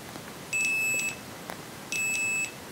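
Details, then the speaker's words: Lidl multimeter for about 10 €, continuity test, probes shorted: two high steady half-second beeps, each starting a moment after a probe click; no tone on a brief touch, delayed continuity beep. "Und wenn ich hier die Messleitungen zusammen dann dauert das, wenn ich das so mache, mit dem anderen kommt gar kein Thron, wenn ich zusammenlasse erst dann pbst es."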